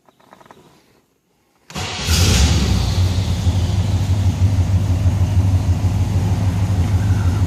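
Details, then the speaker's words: 1964 Chevelle Malibu convertible V8 cold start: brief crank, then a steady, even low burble with no knocks or misses. Oil pressure just under 40 and temperature not yet up; healthy cold idle. "oil pressure is uh just under 40. temps not coming up yet and sounds pretty good"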